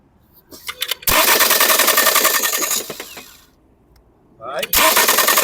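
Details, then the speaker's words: Ford Fusion 2.0 cranking with the ignition coils deliberately disconnected so it won't start: harsh, rapid metallic clatter over the starter whir; a broken flywheel ring gear. "Tá bom olha aí você viu barulhão"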